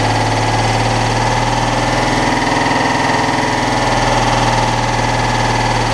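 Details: Citroën Dyane 6 flat-twin, after carburettor cleaning and jets cleared of dirt that got past the fuel filter; previously would not hold idle and stalled. Now even, steady idle with no stumbling or hunting, idle problem fixed.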